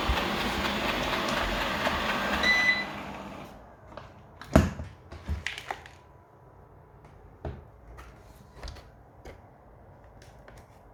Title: Eufy Robovac 15X Max Clicking noise